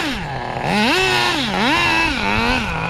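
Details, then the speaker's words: 2002 Tamiya Terra Crusher 1/8 nitro monster truck: engine pitch climbs sharply on each throttle blip while the drive doesn't follow; owner suspects worn linkages or transmission letting power slip through, and reverse sometimes fails to engage. "It's these damn linkages, man. You hear that? It's slipping through."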